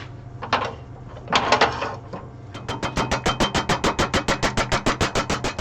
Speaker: you can hear how much it's hitting air what I'm trying to do is get something in here that I can hold it on